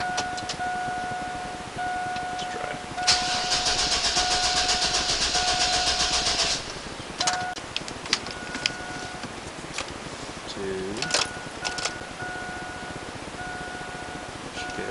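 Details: Oldsmobile Bravada after fuel pump replacement for a no-start: a few seconds of cranking, then the engine catches and settles into a quiet, steady run with a door chime; starts normally, no leaks, check engine light on.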